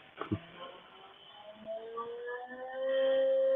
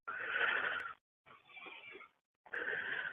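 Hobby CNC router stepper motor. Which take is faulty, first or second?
second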